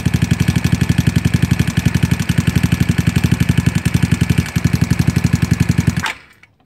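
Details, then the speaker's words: GY6 scooter engine during carburetor idle mixture screw tuning: fast single-cylinder putter around four beats a second wavers, fades and dies at idle; the mixture screw was turned too far and it went too lean. "killed it too much went to lean yeah went to lean"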